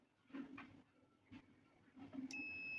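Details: Refrigerator thermostat test, sensor taken out of ice as it warms: a faint click, then a steady high tone as the compressor switches back on; thermostat cutting in normally.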